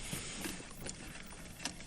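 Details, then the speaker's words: 1959 Silvertone Syntronic 4-speed record changer by Warwick Industries: faint clicks and light rattle as it pushes a record off and the arm indexes via the size-sensing feeler (10-inch or 12-inch position); normal cycle. "then as its dropping if a record hits this down to that knotch only it'll be a 10-inch record if it's a 12-inch record it hits it all the way down like that that tells the arm where to finally end up"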